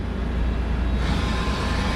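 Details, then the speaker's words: Okuma MX-45VA jogging an axis: deep, even rumble with smooth servo whir, no grinding, knocks or rattles and no vibration felt; axis drive healthy. "So you hear it's nice and smooth. No grinding, no weird noises."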